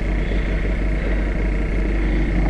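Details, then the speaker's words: Summit car after a no-start, started in neutral in cold snowy weather: low, lumpy cold-start idle with a slightly uneven pulse every few beats; owner says it always misfires a bit when cold. "i think it's misfiring a bit it always does it on a cold start"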